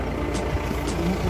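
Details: Mahindra Bolero SLX diesel after no-start fixed by electrical work and system reset: steady low clatter, even firing, no misses or knocks, music behind; normal running.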